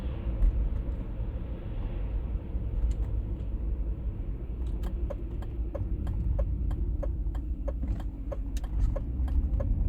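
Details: 1996 pre-facelift BMW E39 523i automatic while driving: a deep, steady humming drone in the cabin at 50–60 km/h and also at 70–80 km/h, with regular light clicking joining partway. The cause is not yet found.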